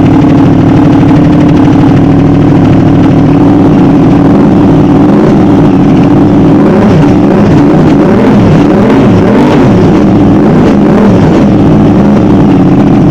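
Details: Modified Aprilia RS660, first start on the newly loaded remap, not yet warm: the engine catches cleanly and settles into a steady idle, then several crisp throttle blips rise and fall smoothly with no misfire; normal start and revving.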